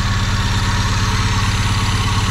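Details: Chevrolet Vectra parked ten years: steady, even low thrum with regular firing pulses and no misses or stumbles; normal idle.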